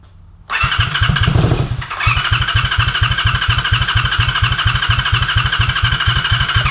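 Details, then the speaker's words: 1983 Honda VT250 V-twin, 63,500 km: catches on first cranks, settles to steady even thumping idle with no knocks or rattles; runs well, needs tune-up. "can't hear any bad noises as of yet so that's all promising everything seems to be all right"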